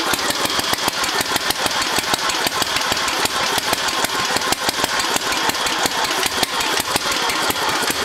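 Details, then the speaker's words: Newly rebuilt Briggs and Stratton single-cylinder on a Gilson tractor, first start after sitting, choked: it pops along at a fast, slightly uneven beat, a little rough but steady. Runs, needs some adjustment. "it's running it needs a little adjusting but not bad we had the whole thing torn apart so it's good to see it's it's good to hear it running"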